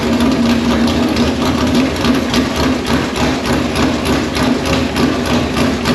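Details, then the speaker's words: V8 in Conqueror chassis, first fire-up on open headers, no radiator fitted so run briefly: loud lumpy burble at fast idle, even firing, no knocks or misses; healthy. "Sounds like a motor. Sounds like a motor. All right, she's alive."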